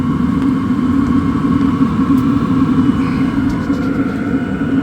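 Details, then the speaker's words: LF Bros 5 kW diesel heater blowing heat: steady low hum with even whirr, no surging or popping; running normally; kinked ducting can cause back pressure and safety shutdown. "when you crank it up it runs a little bit more so yeah it's going it's blowing some heat out now"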